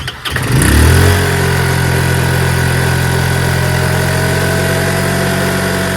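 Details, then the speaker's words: TNG Verona 150cc Chinese scooter, first start after a carburetor clean: it catches after a short crank, flares, then settles into a steady, even idle with no misses. Idling beautifully. "Holy cow! Fellas, it's running! And it's idling beautifully."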